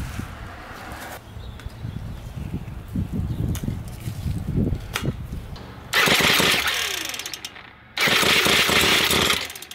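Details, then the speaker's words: Ryobi S30 two-stroke string trimmer with diaphragm carburetor, hard starting and stalling: ragged sputtering pops as GumBuster cleaner left in the carburetor burns off, then it catches and revs high in two bursts; idle needs adjusting. "there he goes okay so that was actually the gum buster burning inside the engine that whatever he was left in the the carburetor"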